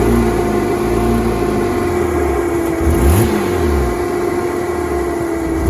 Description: Porsche Boxster 987 2.7 rough idle and stalling after the engine is up to temperature